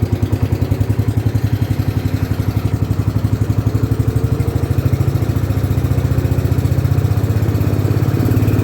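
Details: 1972 John Deere 110 single-cylinder, after sitting in a barn for years, with new fuel filter and oil: steady, even thump that picks up slightly toward the end; no knocks or misses, healthy running.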